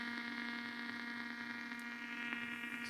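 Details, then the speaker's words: Blaupunkt Arkansas stereo tube radio after tuning capacitor repair: steady hiss over a low even hum on shortwave, louder at one end of the band, no stations received; owner suspects a short from resoldering. "no way I can hear the hiss it's louder at one end shortwave hiss again your reception I've tuned right across so what could it be"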